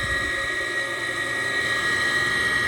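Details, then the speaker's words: Gas furnace, no-heat call with failed indoor blower, door off: during ignition, steady harsh high-pitched whine with rough edge, typical of worn draft inducer motor bearings; igniter lights and flame appears. "here comes the igniter boy that sounds terrible yep there's the flame"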